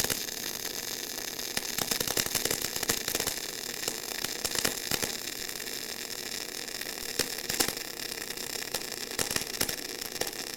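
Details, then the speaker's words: Eastwood mp250i 250-amp multi-process inverter welder in MIG mode: initial slight crackle from slightly dirty material settles into a steady high hissing near-silent hum, no pops or sputter; normal spray-transfer arc. "at first you might hear a little bit of the crackle but it'll get into almost a hum"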